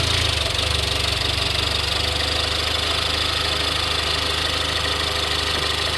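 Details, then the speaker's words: 2018 Ford Explorer, after tapping the starter with a rod: engine settles into a steady even idle with a constant hiss, no misses or surging. "Wow, really won't start."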